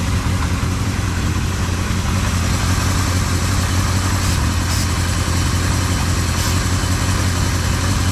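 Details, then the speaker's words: 1976 Kawasaki KZ650 inline-four idling evenly while starting fluid is sprayed around the carburetor rubber seal gaskets; idle does not rise, so no vacuum leak. "okay i don't hear anything"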